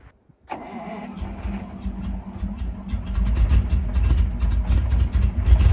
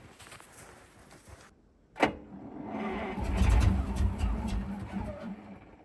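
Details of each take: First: Ural military truck (Soviet V8) at -8°C, after fuel starvation problems: catches after a short crank, then settles into a deep, even V8 rumble that steadily builds; healthy running. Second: Ural military truck at -8°C after about 6 months standing, petrol poured into the cylinders via the air filter: starter thumps in, steady quick cranking never catches; it isn't getting enough fuel, a fuel starvation fault.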